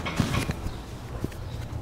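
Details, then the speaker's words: Starter relay on a no-crank diagnosis car, with the mic taken off to capture it: a few sharp, crisp isolated clicks against quiet as the relay pulls in; normal relay click. "I just wanna let everyone hear that this relay is gonna click."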